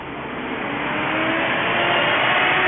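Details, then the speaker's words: 2003 Mini Cooper with two-speed radiator fan, alleged overheating, engine off, scan-tool active test fan stage 2: steady airy rush, audibly different from low speed, no ticks or grinding; normal high-speed fan, temperature under control on road test. "And I can definitely hear a difference if we're running on high speed now."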